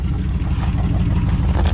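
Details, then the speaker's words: 1965 Ford Falcon abandoned and sitting for years, running as it pulls out to hit the road: steady, even low engine rumble with no knocks, misses or rattles; still sounds good, normal running. "It still sounds good."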